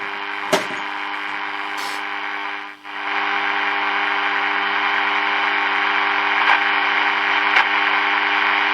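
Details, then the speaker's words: Early-1950s HMV Little Nipper Mark II valve radio with 6X5 rectifier, powered up slowly: steady low hum under hiss and static, no stations, because the local oscillator isn't oscillating. "um like I said we've got static coming through so that's always a good thing"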